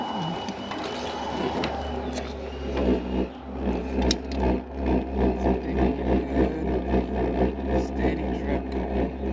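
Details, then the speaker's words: WW2-style immersion water heater burner with a correct fuel drip: a deep, steady rocket-like roar with even rapid pulsing, firing properly. With too little drip it goes quiet. "Sounding like that is what you want it to sound like. So if you have too little of a drip, it's not going to give enough fuel. So if it sounds like a rocket engine, I think we're good."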